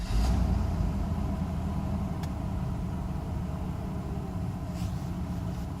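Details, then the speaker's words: Mercedes S600 W140 V12, first start after throttle bodies overhauled: deep, smooth, even idle with steady low rumble, no knocks or misses; some vibration felt, engine or transmission mounts suspected low, loud fan; runs as before. "I do feel vibration because engine mounts are low transmission mount I don't know but it basically runs the same as it used to be"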